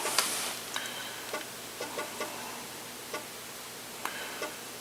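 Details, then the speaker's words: Apple IIgs disk drive booting: light, crisp ticks in uneven little clusters as the head steps across the disk; normal seeking, reads the disk fine; only ejection suspected faulty. "it seems to be reading the disk just fine so I guess the ejection is probably the only thing that's w"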